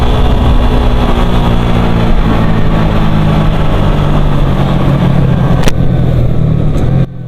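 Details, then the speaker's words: Suzuki GSX-R150 with new piston set and cam chain, pinged until running Shell V-Power Nitro: steady high-rev buzz with faint whine from the new cam chain, no pinging under load; normal running. "Lebih kedengaran suara nging gitu kayak mesin eh mesin kayak kerate yang masih baru. Suara rantai-kata yang masih baru gitu kan nging agak-agak nging gitu kedengaran lur sebelumnya itu suaranya kelitik-kelitik kasih kelik."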